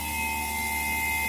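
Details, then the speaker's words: Single-door refrigerator after PCB control board repair: steady unbroken compressor hum with faint constant high tone; compressor now running smoothly and evenly. "তো ইনশাল্লাহ compressor run হয়ে গেছে, এখানে আপনারা শুনতে পাচ্ছেন আমি প্রেশার দিচ্ছি।"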